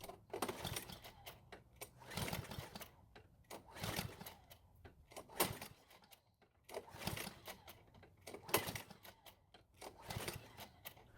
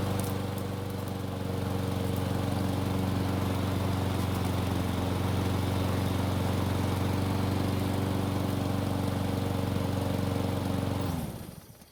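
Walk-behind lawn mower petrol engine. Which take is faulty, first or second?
first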